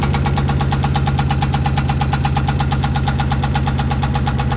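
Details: 5.7L Hemi with a cylinder 8 misfire: loud, even knocking at roughly three beats a second over a lumpy idle. Owner wonders whether it's rod knock, a spun bearing, or cam and lifters and plans to replace the motor; cause not confirmed.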